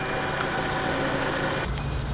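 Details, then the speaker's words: 2012 Chevrolet Cruze 1.4L turbo after head gasket repair, idling after 20 to 30 minutes of running: smooth, steady idle with an even hum, and the earlier lifter tick is now gone. "well here's the car after running for for about 20 to 30 minutes you can hear that those those lifter is finally fighting"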